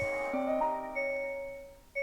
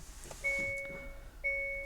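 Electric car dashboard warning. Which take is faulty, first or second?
second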